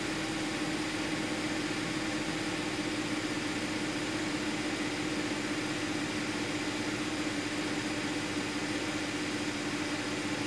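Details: 2010 Audi Q5, about 135,000 miles, with a P0302 cylinder 2 misfire code; even, steady idle with no stumble or skip and a smooth constant hum, codes cleared and fuel trims good, engine running cleanly.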